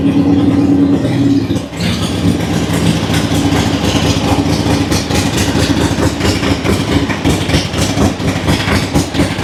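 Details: Harley-Davidson Ironhead V-twin runs with an even, lumpy lope and no knocks, ticks or rattles; rides well, no leaks; normal running.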